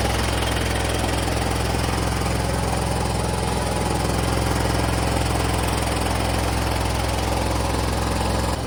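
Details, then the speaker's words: MTD Gold garden tractor with 54-inch deck, 26 hp Briggs & Stratton V-twin, about 447 hours, reassembled after the wiring fault was fixed. A deep, even V-twin thrum holds steady speed with no misses, knocks or surging. Healthy, normal running. "Got it going pretty easily."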